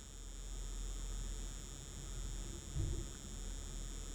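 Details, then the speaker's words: Nvidia Shield TV AC power adapter, device fully shut down: faint steady low buzzing hum with thin high tones, recorded with external mic; same noise on different outlets and breakers, without extension lead; replacement adapter, rises to higher pitch when booted. "this is an external mic pull it up to things so you can hear what noise it's making I don't know if you can hear that but a low humming noise"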